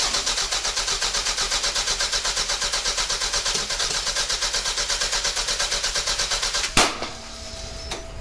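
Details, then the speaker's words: Mid-engine car (engine out back, radiator up front) cranks after a head gasket job and a 50-50 coolant refill: an even starter chug at about three beats a second for seven seconds, never firing. No spark because the distributor rotor was installed wrong; refitting it correctly let it start. "Oh yeah, we installed that rotor wrong. Let's see what happens."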